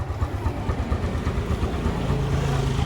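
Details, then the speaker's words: Smash 115 motorcycle single after a tune-up setting valve clearance: now quiet, steady low idle thump with even beat and no top-end tapping; normal idle. "So yan guys, tahimik na. Birit lang natin. So yan na yung andar na ating motor."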